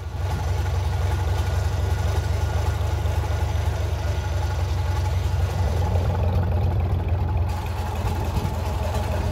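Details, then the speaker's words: Gardner 6LXB six-cylinder diesel from a 1972 Atkinson Borderer, about 52 years and nearly a million miles, first run before overhaul with heavy smoke; steady heavy, slightly uneven idle; oil pressure slow to rise and low. "does normally the oil pressure would come up within a few seconds of starting let's see how long this one takes oh dear that's not looking good"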